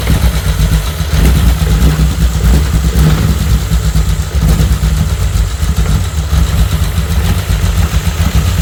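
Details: VW R32 engine run on the floor at first start before swap into a VW T5 Transporter, airflow meter unplugged: loud, deep idle with slightly uneven, wavering beat, running a little erratic due to the disconnected airflow meter.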